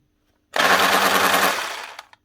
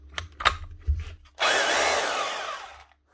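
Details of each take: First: Makita HR2611F SDS drill, burnt out boring 16mm holes in reinforced concrete: short rough hammering rattle that sags and dies after about 1.5 seconds; struggling motor with burnt armature needing replacement. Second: 2012 Makita HR2611F SDS drill after burnt motor, repaired with a second-hand armature from an HR2610: two clean runs with steady, even motor whine, no grinding or sparking crackle. Normal running after repair.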